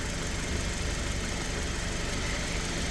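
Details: 2017 Cadillac ATS after right-front collision repair, fixed from no-crank no-start by repairing two faults, no codes: steady even idle with smooth low hum, no knocks, misses or surges; healthy.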